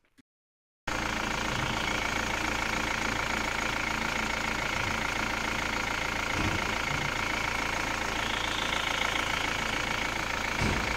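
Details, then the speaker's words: Engine idling smoothly and evenly with no knock after a new harmonic balancer was fitted. The balancer had caused a deep bottom-end knock that another shop misdiagnosed as rod knock needing an engine replacement. "Now the next clip I'm just going to showcase the new harmonic balancer fitted and the difference in the noise."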